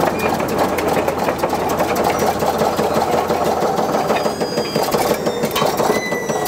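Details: Caterpillar D8 diesel on its first start in over 15 years, after the loose injector pump rack was tightened and the throttle problem thought fixed: clatters at a fast, even beat without stumbling or surging; normal running.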